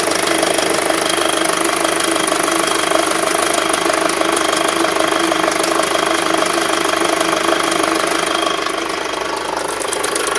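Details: 2006 Skoda Octavia II vRS 2.0 TFSI petrol, 70k, cambelt done twice: warm idle, rough uneven running with light regular tapping about two per second, only after warm-up; cause unknown.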